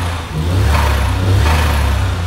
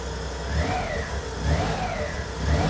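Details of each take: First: 63bhp Suzuki Cappuccino after new ECU, exhaust, spark plugs, lambda sensor and air filter; deep, even exhaust note swells with throttle blips, revving cleanly with no misses. Owner thinks changed ignition timing gives more boost. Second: Suzuki Cappuccino right after a plug-and-play aftermarket ECU install: small engine surging up and down about once a second, never settling; ignition suspected a bit too advanced, ECU possibly still adapting.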